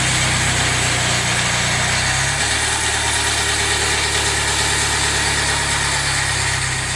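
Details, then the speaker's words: Jaguar F-Pace 204DTD diesel just rebuilt (used polished crank), first start-up: uneven, shaky chug with heavy clatter and the whole engine shaking about; idling pretty rough, owner hopes it improves on restart, cause not yet known. "pretty rough and hopefully that's not a bit better when I start it up again"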